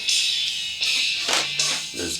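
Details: Radio Shack Optimus Pro 7 speaker playing music: thin, tinny sound with no bass, only the tweeter working, woofer cutting in and out when pressed; dead woofer from a broken braided tinsel voice-coil lead.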